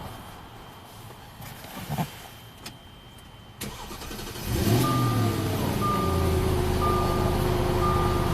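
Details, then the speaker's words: 2009 Audi Q7 V8 direct-injection no-start after stalling, dead battery: fuel pump wired directly to power, clicks then short crank catching into steady idle, likely over-fueling; car not commanding pump, control module or communication wire suspected. "Okay, great. The fuel pump's working, car's running. It's probably over fueling because this is full field. Let's look at that communication wire and see why the car isn't turning on the pump itself."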